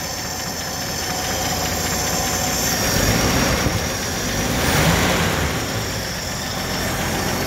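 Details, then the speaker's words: 1964 Chevrolet Impala convertible V8, sitting since 1995, first run on fuel mixed with two-stroke oil and smoking slightly while warming up: a steady, fairly even idle with light ticking but no valve sticking or knock; normal idle. "pretty damn good sounds really good actually"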